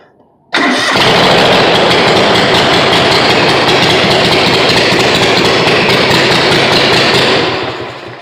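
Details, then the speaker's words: Engine running after carburetor cleaned, very loud, harsh, raspy, unmuffled drone because the exhaust pipe is cut open (muffler wouldn't fit, engine swapped between two motors); needs welding; also floods; loud exhaust from cut pipe. "oh man it's that loud that is case I have to weld up the exhaust see the exhaust down here it's all cut that's cuz the muffler wouldn't fit two different motors"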